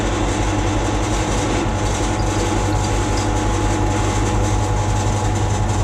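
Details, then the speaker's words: Milling machine cutting after switching to lighter cuts: steady low rumble, even chatter-free drone under load; normal milling cut. "That sounds better. Unlock the quill and have a clean out. Some chips being caught in the bottom."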